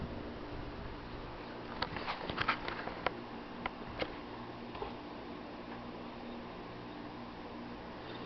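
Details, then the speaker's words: Mid-2000s Sony boombox reading a CD: irregular light clicks and ticks over a faint motor whir, then quietens as the disc is recognized; noisy CD drive seek, cause unknown. "it's making an annoying sound that sounds weird but it's going to recognize it yes it is"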